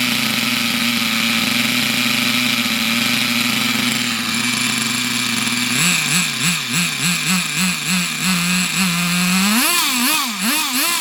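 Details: Unknown nitro RC buggy after its very high tick-over was lowered, with suspected filter problem blown through: high buzzing idle holds steady, clean throttle blips rise and fall crisply, running healthy.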